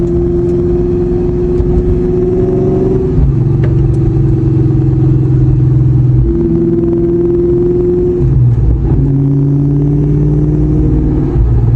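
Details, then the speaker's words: 2003/04 Mustang Cobra Terminator with T-56 gearbox after four drag runs: loud engine pulling through gear changes, tone stepping with speed; an odd rear noise occurs only off throttle on deceleration, cause unclear. "I have some kind of really weird noise coming out of the back of the car. It only happens on deceleration and I can't hear it accelerating, but as soon as I'm off the gas making this really weird noise."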